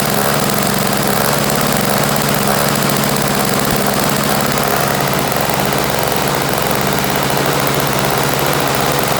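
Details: Toro CCR1000 3 hp single-stage snow blower, which would not start because of a gummed-up carburetor jet, now running: a loud, steady small-engine drone with an even beat and no surging or stumbling; running cleanly.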